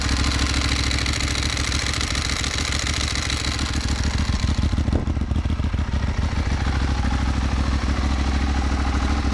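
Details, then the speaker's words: Ducati 1198S V-twin after fitting AELLA anti-rotation clutch slave cylinder and push rod to fix an oil leak: fires up and holds a lumpy but steady idle with dry clutch rattle, nothing out of place; normal idle. "It looks like things are working just fine. Let's start it up and make sure that is the case with the engine running."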